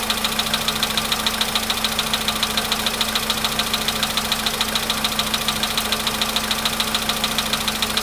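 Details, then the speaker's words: VW Polo Sedan, almost 100,000 km, idling: crisp, even ticking knock about 3.5 per second. It did not knock at cold start and stops with more throttle around 1500 rpm; origin unknown. "Маленькая такая хитрость есть. Если даешь побольше газу, в каком-то месте можно, найти такое место, где он перестает долбить."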